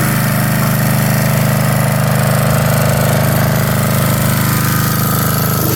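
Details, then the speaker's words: 1982 Snapper Comet riding mower, 8 HP Tecumseh electric start, with everything reported operational: loud, steady low thumping about three beats a second, even and unbroken; engine running healthily. "There it is, boys and girls. It works."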